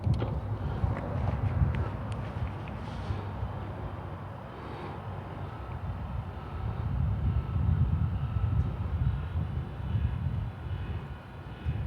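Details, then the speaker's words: Chamberlain LiftMaster LA400 gate operator after repair with new motor kit and control board, running on the single button after limits saved, stopping where wanted; even low hum and gear rumble, no knocks: normal operation. "okay stopped where i wanted it so we'll push the single button again there it is"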